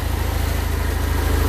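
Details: Houseboat Volvo Penta 130 inboard, first start after fuel tank refit with a few gallons of fuel plus Sea Foam, first-bought distributor cap reinstalled after the other wouldn't fire: low, even chuff at idle, regular pulse, no stumbles; normal idle.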